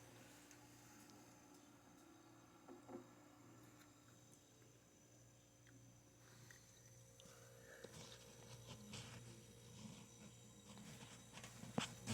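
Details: Haier HRC2731ACW mini refrigerator after start-up: low steady hum with refrigerant flow audible, under light rattles and handling clicks; the compressor is running normally and the evaporator is getting cold.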